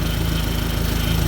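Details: 2004 Dodge Neon SRT-4 idling steadily and evenly after a crank-no-start, with no skips or knocks and the check engine light on; corroded starter terminal and poor starter power wiring fixed with an auxiliary battery-to-starter power wire.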